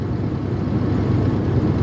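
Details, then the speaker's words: 1996 Ford F250 light duty, 326,000 miles, starts easily but rough uneven idle with a lumpy stumbling dead miss, worse when driven; code P1351 traced to an incorrect ignition control module. "so it'll crank right up like so but did you hear that it's misfiring at idle yep there it went"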